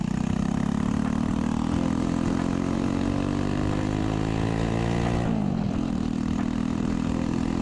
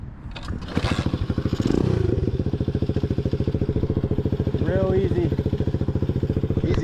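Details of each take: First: Chopper with a new 125cc 4-speed single-cylinder engine, exhaust cut short to clear the kick start: harsh, raw four-stroke bark at steady pitch with a brief dip, blatty and far too loud. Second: Chopper with a new 125cc 4-speed single after a reworked exhaust: small single thumping at an even three to four beats a second, steady and smooth healthy idle, sounding way better than before.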